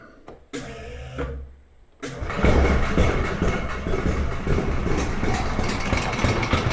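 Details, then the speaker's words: VIBO golf cart with Wisconsin engine and Holten axle/transmission: starts from the start button after a brief crank, then settles into a steady, even idle with no stumbling or popping; runs really well. "There she is. Like I said, I don't know if you can hear me, but uh and runs really, really well."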